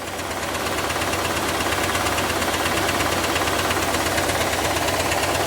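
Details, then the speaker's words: Chevrolet Camaro IROC petrol V8 at idle, listened to with a stethoscope on top of the valve cover: sharp tick about three a second that only gets faster with revs. It is louder at the block and louder and sloppier when revved. "Can you hear it ticking? Now listen, that ticking's not really going to change. It's just going to get faster when I do this."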